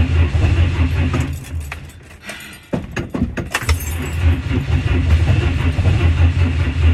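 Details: Temperamental 1959 Ford Consul, usually hard to start, heavy pedal pumping: slow, labored cranking about two and a half beats a second that stops and restarts; the engine turns over but doesn't fire yet.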